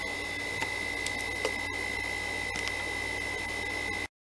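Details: Original Xbox DVD drive after repair: a bent piece that had been pried was straightened, and now a low, even whir with a faint steady high whistle and no scraping or rattle; drive spins quietly and normally while loading.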